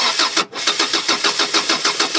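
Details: 1999 Subaru Legacy that died while driving and won't restart, with spark, injector pulse and compression present; even cranking that never catches; passenger-side timing belt skipped two teeth, no valve damage.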